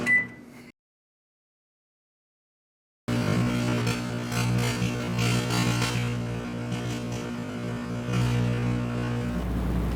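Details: Microwave oven with a grape creating plasma in the cavity: after a short silence, a harsh, steady low buzz near 120 Hz, the rectified 60 Hz mains ripple pulsing the magnetron. Plasma arcing.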